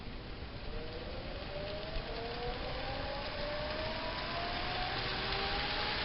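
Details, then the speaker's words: Homemade 2x72 belt grinder with small motor and treadmill-style controls, pressed start at speed 1: faint whine climbs smoothly in pitch over steady hiss, very quiet, belt tracking well; normal motor start. "And as you can tell, it's very quiet. All you can hear is a little bit of that little motor running, and you can see how well it tracks."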